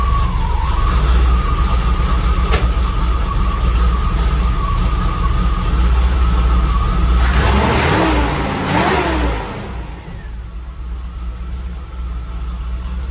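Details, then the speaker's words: 1983 Pontiac Trans Am V8 after distributor swap, stationary: steady, even idle, then two crisp blips rising and falling cleanly before settling; good throttle response, success. "good and responsive oh that a success"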